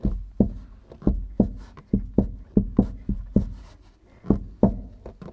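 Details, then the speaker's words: Fiat Dino: sharp hollow metallic pops at irregular intervals, about two a second, no engine, as the body flexes over a lump; stressed, stretched panel on one side tin-canning in and out, found while chasing a suspension knock. "So it's what we call tin canning, when you've got a stretched piece of metal and it pops in and out, just like on a tin"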